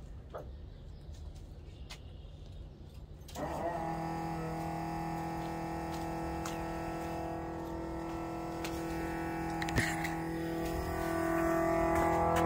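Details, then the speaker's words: Chevrolet Nova, old electric fuel pump possibly from Summit and possibly up to 12 years old, pump switched on before Mallory 110 replacement: sudden steady buzzing whine with low hum, crazy loud; worn, noisy electric fuel pump. "first thing we're trying to figure out today is the fuel pump it is just crazy loud and i'll turn it on here and you can hear it"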